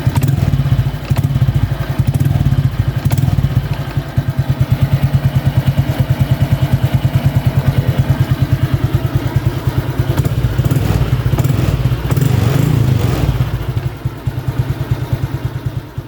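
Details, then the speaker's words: Honda Wave 125 (2023) with a two-piece aftermarket exhaust after the loose pipe-end joint was shimmed with soda-can metal: steady, deep exhaust thump at idle, no rattle, tighter exhaust sound. "เดินเบาก็จะยังไม่มีเสียงครับอ่าเสียงท่อแน่นขึ้นด้วยนะ"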